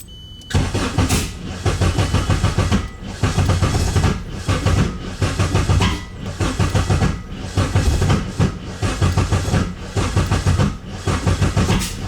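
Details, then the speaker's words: K24-swapped Nissan Cefiro, first start attempt, lots of fuel, weak battery suspected: long steady cranking with an uneven, labouring beat that almost catches but never runs, seeming to lock up; ignition timing suspected off. "A lot of fuel, sound like, right? Sounded like it was gonna go. See, that's what's weird. Timing's off or something for sure."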